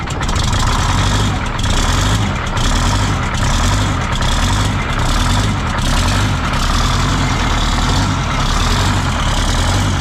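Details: 1977 MCI coach with 8V71N Detroit Diesel two-stroke that ran away, three stuck injectors freed: heavy deep chugging with slow uneven pulse and air hiss as it cranks, rack set to run position.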